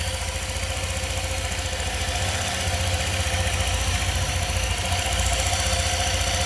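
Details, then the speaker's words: 2018 Honda PCX scooter at 1178 miles, first start after a valve adjustment and oil change; both intake and exhaust valves had been too tight. Now a smooth, quiet idle at about three to four pulses a second with no valvetrain ticking; normal idle. "so I did adjust them let's see how it sounds [Applause] I think it sounds very quiet"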